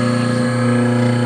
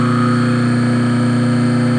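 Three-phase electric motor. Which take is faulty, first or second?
second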